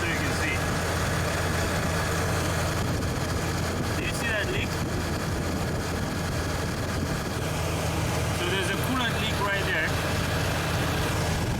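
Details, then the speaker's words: 2002 Chevy Silverado 4.3 L, previously crank-no-start, after replacing defective distributor rotor and cap (damaged by a coolant leak): steady, even low idle, constant hum, no knocks or misses. Normal idle. "so right there as you can hear the engine is now running so this is fixed okay so the problem was a defective rotor and the cap"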